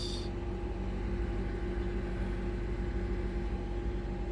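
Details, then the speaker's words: 2008 Honda CR-V at idle after replacing the alternator, belt and PCV valve, battery light off so charging normally: steady, even idle with a low smooth hum and a faint constant whine, no ticks, knocks or squeal; healthy. "no back battery light on so that means it's charging like it should I just got to reset the radio and that's it it's running good"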